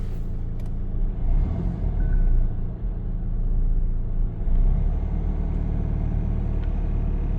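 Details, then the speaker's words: Suzuki Jimny at idle: heavy, uneven low rumble, physically vibrating; vibration stops at 2,000 rpm, engine cut out earlier, gears hard to select; owner suspects clutch or gearbox, cause unconfirmed. "it's physically vibrating at idle"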